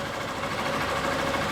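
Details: 2011 Honda Bros 150 motorcycle after shop repair of a customer-reported strange engine noise, test run: short, steady single-cylinder idle with an even beat, no knocking or rattle. Normal idle.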